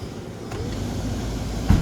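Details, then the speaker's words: 2015 Nissan Sentra after blower motor replacement, fan on high speed: steady low rushing hum with even airflow and no rattle or squeal; normal blower operation. "there you go you hear that now we're having a lot of air coming from the there you go that's it FL M working very fine"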